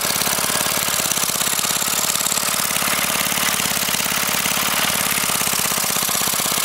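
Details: Briggs & Stratton 5 HP single-cylinder engine, sitting unused for years, run without a carburetor on propane from a barbecue grill tank, valve-metered mixture: chugs along at a steady, even beat, no surging or misfires; normal steady running.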